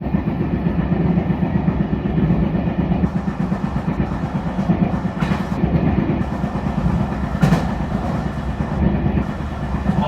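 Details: E721-series train running between Nagamachi and Taishido: dense rhythmic thumping from under the floor over steady track rumble, pointing to a wheel flat.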